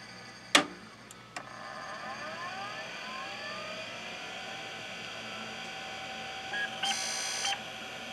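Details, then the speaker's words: IBM PS/2 Model 30 (8086, 20MB hard drive), long unused, at power-on: click, then rising spin-up whine with scraping rough edge and a short beep; hard drive sounds abnormal, though POST completes. "that's not a normal sound that's for damn sure but it is completing post and it's happy about it"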